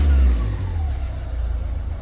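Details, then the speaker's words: Renault Kangoo diesel, after cleaning accelerator pedal and its wiring (previously glow-plug light, sluggish hanging revs, raised idle): quick rev drops back cleanly to normal steady idle without hanging; normal response, recurrence still to be checked on road. "плавниїк спускає І вертається до холостого хода до нормального холостого ходу"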